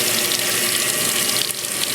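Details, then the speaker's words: GE top-load HE washing machine with modified lid lock, small load with soap: steady hiss and splash of water filling the tub, no chatter or buzzing; normal water fill. "There's, just low amount of clothes, some soap in there. I'm going to let it fill up."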